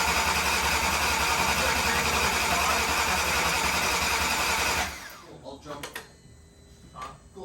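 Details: VW MK6 GTI 3.6 VR6 just after rod bearing replacement, first run: smooth, even idle with steady low hum and no knocking or tapping before shutoff; earlier rough idle codes blamed on a loose ground.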